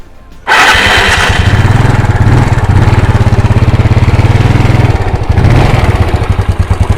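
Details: 125ZR two-stroke motorcycle: fires after a brief crank and settles into a steady, even beat with no knocks or rattles. The owner says the earlier noise is gone. Healthy engine.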